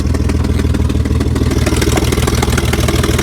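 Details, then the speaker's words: BMW 325xi E46 idling with no catalytic converters or muffler, factory resonators kept: loud, deep, choppy idle with sharp puffs; exhaust leak from headers with several bolts broken or missing. "the other problem we have you probably hear the exhaust leak coming from the headers so what we found is there's a bunch of bolts broken or missing"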